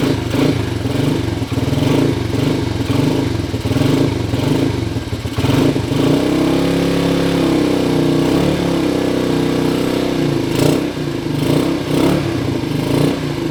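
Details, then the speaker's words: 1977 Honda CT 125 motorcycle just revived, first start with fuel in the tank on choke: single cylinder fires up and pulls cleanly through easy throttle blips, steady thump at idle; runs strong and healthy. "It even sounds pretty tough, eh? Yeah. Very apocalyptic."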